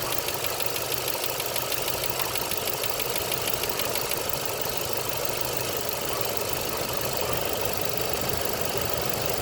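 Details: Chevrolet 2.9 Vortec engine at about 69,000 on the odometer idling with a light, quick ticking about three per second over a steady idle; lifter tick.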